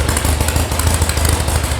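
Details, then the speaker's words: VW sand rail air-cooled flat-four at idle after electronic ignition install and carb tune, warming up, oil pressure 50: steady even low thrum, no misses, runs normally; a missing heat shield rattles. "But that sounds good."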